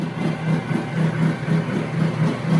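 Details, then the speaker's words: Water-cooled high-pressure airgun compressor running, water pump circulating and bubbling: steady hum with soft regular pulsing about twice a second and water gurgling; normal running, though slow to build pressure. "bubbling. That's because this water pump is doing its job, pumping. The water pump doesn't work, the compressor doesn't work."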